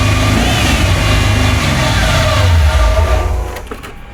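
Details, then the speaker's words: Nitrous C4 Corvette V8 on dual Edelbrock carbs, fresh start: settles into a fast, steady high idle well above normal, revving while getting fuel. "Oh, wow. I think the idle's a little high."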